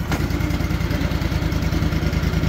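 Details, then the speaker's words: Cub Cadet bagger lawn tractor with a rebuilt single-cylinder engine, just started after a rough start: small, even single thumps at a steady, quick, quiet idle with no knock or clatter. The engine is healthy; a tach later read about 1170 rpm with throttle. "Nice and quiet. We'll go over here in the yard a little bit. Give her some throttle."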